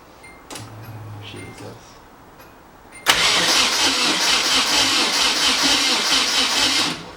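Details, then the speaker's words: Nissan 240SX turbo build, first start attempt with good compression: about four seconds of uneven cranking, two to three beats per second, no catch, fuel pouring out underneath; owner suspects flooding from too much injector fuel. "it doesn't sound like it's even man oh it's flooding underneath"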